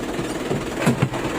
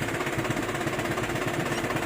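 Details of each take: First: Isuzu 4JB1 diesel truck at idle, before repair: a rough rattling clatter from the transmission with the clutch released, gone when the clutch is pressed. Clutch problem suspected, cause not yet found. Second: Isuzu 4JB1 diesel truck idling after clutch repair: steady even idle with a low throb, no gear rattle. The transmission noise that vanished when the clutch was pressed is gone; normal transmission noise at idle.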